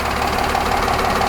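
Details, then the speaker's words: Cummins 8.9L RV diesel just after fuel filter replacement, first start at idle: smooth even firing beat, no misses, rattles or hunting; engine running healthy, checking for fuel leaks. "all right, she's running. Question one is, are we losing fuel?"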